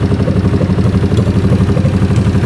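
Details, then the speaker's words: 1981 Honda CX500 café motorcycle after years sitting, accelerator pump apparently not working and diaphragm suspected worn: lumpy V-twin idle with regular sharp pops back through the carb; likely running lean, choke helps. "but it's popping through here usually means just run and lean put the choke on a little bit"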